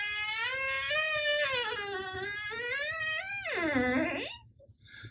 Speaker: squeaks like crazy. So, there's nothing like going to the bathroom and announcing it uh by the fact that there's a squeaky hinge on the door.